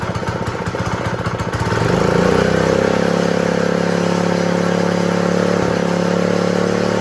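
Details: Honda GX120 small engine that wouldn't start, after moving the throttle spring clip so the lever works; a couple of seconds of pulling and clatter, then it catches and settles into a steady, even run: healthy.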